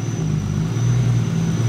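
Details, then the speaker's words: First start of Stav's 12v VR6-swapped B5 on 2150cc E85 injectors and a base tune: a thin steady high-pitched whistle over an even idle, source unknown; owner will check vacuum ports are plugged or hooked up, otherwise a quiet motor. "listening and it sounds so good there's a slight whistle in this like a high pitch whistle not sure where it's coming from"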